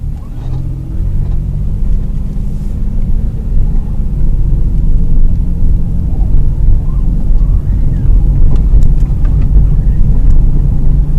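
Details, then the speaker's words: 2001 Ford Escape test drive after replacing sway bar end links: steady low road rumble with no crackles, pops or knocks over bumps; slight remaining noise attributed to bad inner tie rod and power steering. "I hear no crackles or pops so the end links are now good and it and the actual noises went away"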